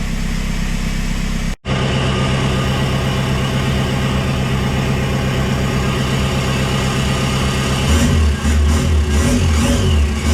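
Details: VW Jetta TDI diesel running on a newly loaded tune with the ECU refitted: steady idle clatter, then revs rise cleanly and drop back without misses; normal running.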